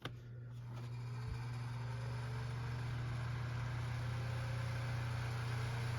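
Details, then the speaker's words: Vintage Lasko fan with stock blade on high speed: loud steady low hum with slight throb; blade out of balance with little pitch makes it run too fast and louder than needed. "And this blade being out of balance and not having much pitch to it makes it run too fast and makes it louder than it needs to be."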